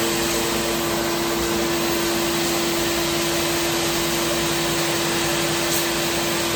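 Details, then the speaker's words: Wide belt grinder finishing the flanges of a 14-foot, roughly 6-inch aluminum beam, run very slowly to keep heat out of the part: a constant mid-pitched hum under a steady sanding hiss with no load change. "We're going to run, we're not going to put a lot of heat in that part, so we're going to run it very slow."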